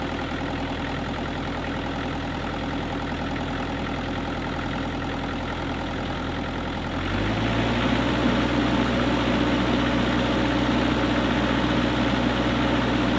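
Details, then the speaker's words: Kubota KX121-3 excavator diesel at steady idle after replacing the fan/water pump and A/C belts; the ongoing squeal from the rear is gone and it runs quietly with no belt chirp. "there was no more squeak and I am really happy now because the machine can operate quietly and no more Super annoying sound coming from the back end"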